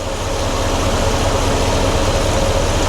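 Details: 1993 GMC Sierra C1500 with new Delta Current Control driving a 2-speed 1994 Ford Taurus cooling fan: steady even rushing with soft low throb, no rattle or surging, wiring not heating up. Fan running normally on low speed.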